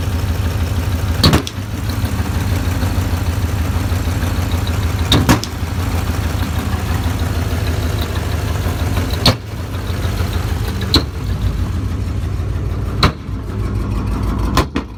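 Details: 2006 Mustang GT V8, 130k miles, after spark plug change with broken plugs extracted: uneven loping idle with sharp pops or backfires; cause unconfirmed.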